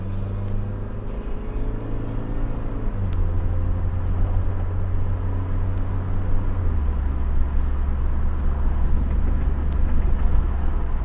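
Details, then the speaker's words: 1991 Honda Accord after a vehicle/transmission speed sensor fix (check engine light now off): engine drone drops cleanly in pitch at two shifts, each smooth without flare or clunk. It previously would not shift, and now shifts normally. "shifting better than ever before this car has never shifted as great"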